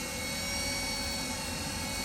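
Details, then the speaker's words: Takagi tankless water heater after surge protector replacement: steady airy whir with thin whistling hiss from the inducer blower, no speed change; wheezing, possibly something catching the blower fan. "don't like that sound [Music] don't like that wheezing sound [Music] 's hitting that blower that that 10."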